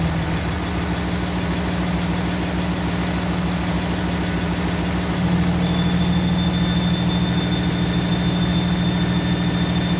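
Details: 2007 Dodge with 6.7 Cummins, mic held close to engine: even diesel idle, then deeper note with thin high squeals when exhaust brake engages, louder when warm; caused by exhaust manifold leak.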